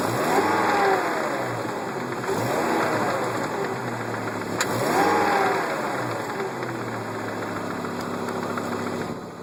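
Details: Volvo S70 T5 engine blipped repeatedly from idle, rough irregular tapping underneath each rev; owner suspects rod knock, source not pinned down.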